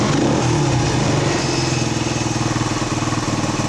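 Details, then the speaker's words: 1979 Honda XL125S single-cylinder after valve lash adjustment (intake valve had no play): even steady thump, no misses, running less rich than before. "1,00 sounds good actually it's nice oh god let's get the door open doesn't run as rich as it was"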